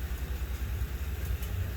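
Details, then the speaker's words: Honda Shadow V-twin idling after its first start since 2019, carbs previously gummed and stuck and now moving freely, Seafoam planned: low, fairly even thumping idle with no knocks or misses; starts and idles normally. "but we'll see. But it's starting, it's idling. I'll rev it up, which is a good thing."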